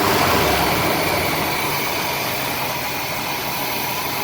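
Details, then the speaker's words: Older RV with 454 engine after tightening carb gasket bolts evenly (EGR, PCV, vacuum lines replaced) to cure backfires and poor acceleration: steady smooth idle, no hunting or rpm drop as before; fix unconfirmed until test drive. "on idle it's definitely not like jumping and doing what it was doing before so i really hope this is uh a resolution to the uh running issue"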